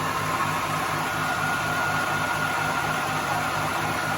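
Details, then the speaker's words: Smart & Brown 1024 lathe after headstock and gearbox oil filter clean, run at high speed, motor and primary drive same speed: steady even hum with faint fixed whine, no knocks or rubbing; runs smoothly. "Right, we've given it the beans there. Motor same speed, primary same speed. We're going a bit more of a lick on that now."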